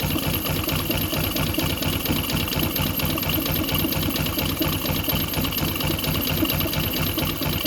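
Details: Yamaha Jupiter MX (non-clutch) bought cheaply, with radiator coolant in the oil and greyish oil, water pump seal suspected: steady idle with a light, quick clatter and a strange knock; source not confirmed.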